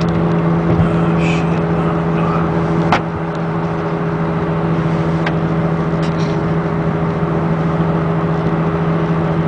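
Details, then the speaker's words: 2002 VW Beetle TDI at about 70 mph, coasting in neutral. A steady low drone under road noise keeps going and rises with road speed, not revs; the owner was unsure it came from the engine bay. The cause was a bad passenger-side front wheel bearing, since replaced. "The faster you go, the louder it gets. I'm up to 70 now."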